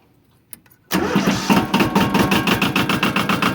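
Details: Used compact diesel tractor with backhoe (8 forward, 2 reverse, 3-speed PTO), no oil leaks or smoke: a brief crank, then it catches at once and settles into a steady, even clatter with no misses or knocks; normal start.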